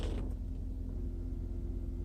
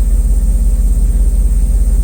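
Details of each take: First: Mercedes S420, warmed up and idling with the AC set to 70°: a deep rumble with a steady whirring drone from the secondary air pump, which runs when HVAC is on and stops when HVAC is off. A vacuum leak is suspected, with fears of pump burnout. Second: 1994 Mercedes S420 V8 after misfire repairs, exhaust at idle: heavy even low thrum, every pulse alike, no popping or skipped beats; all cylinders firing; normal idle.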